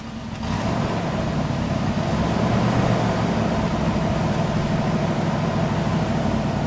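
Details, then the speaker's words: 1964 Buick LeSabre Estate Wagon, 425 CI Nailhead V8 with single exhaust, revved while parked. Deep, even rumble swells smoothly on the throttle blip and settles back, with no knocks or misses. Normal V8 rev, smooth and quiet. "smooth pretty quiet and smooth buzz"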